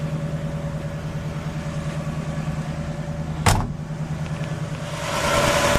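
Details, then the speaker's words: 1960 Pontiac Catalina, 10.5:1 compression, cold on the fast idle: even, steady idle with no knocks or misses, revs lifting slightly near the end; healthy, though owner notes slight lifter tick when warm. "Running on the fast idle, but it sounds pretty darn good."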